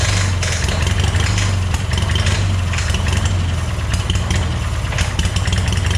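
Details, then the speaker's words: Long-idle scrapyard Hobart welder-generator engine running: loud steady run with ragged rattling clatter over it; shutdown then revealed a loose bolt sticking out of the fan shroud, possibly the fan catching on it. "i could not tell you what that noise is tell you what though it doesn't sound good"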